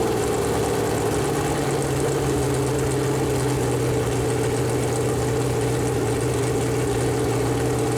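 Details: Freshly built Chevy Performance 454 big-block V8 on a run-in stand, first start, temp around 190, good oil pressure: deep even burble, steady firing, no knocks or misses; normal idle and revving.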